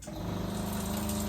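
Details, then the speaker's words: Caravan water pump without accumulator tank, dishwasher drawing water: low, fast pulsing drone, pump short cycling because only a little water is taken; accumulator to be installed to stop it. "so as you can hear pulsating away cuz the dishwasher is trying to take a little bit of water but it doesn't need heaps because it's trying to heat it up at the same time so which is making this pump pulsate"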